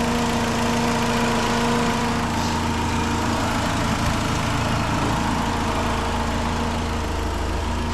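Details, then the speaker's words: 2006 Chrysler PT Cruiser 2.4 at idle with a constant whirring hum and faint grind from a worn, noisy alternator; intermittent charging (about 12.5 V earlier), check engine light for low charging, alternator to be replaced. "So there you have it, guys. There's our noise, a nasty alternator."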